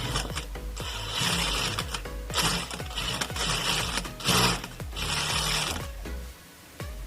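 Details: Electronic straight-stitch industrial sewing machine after repair of a loud noise at the needle-stop position: rapid, even stitching bursts with clean pauses and the needle parking quietly; it now works properly.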